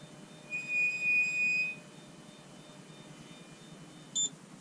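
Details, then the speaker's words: Anycubic Photon Zero resin printer: a high, thin squeal with a brief chirp as the Z-axis moves, from the Z-axis lead screw nut. Flipping the nut removed the noise. "So if you have a Photon Zero that squeals on the Z-axis, I'm going to show you how to fix that real quick."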